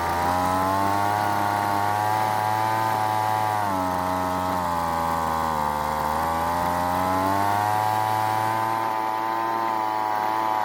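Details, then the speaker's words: Weed Eater leaf blower after long storage, carburetor L and H screws turned counterclockwise for more fuel: holds steady buzzing run but revs barely respond to throttle; lean high-speed mixture, needs more fuel from H screw. "i then turned both screws counterclockwise to give the engine more fuel this time it stayed running but the throttle wasn't responding much which meant it needed more fuel from the h screw"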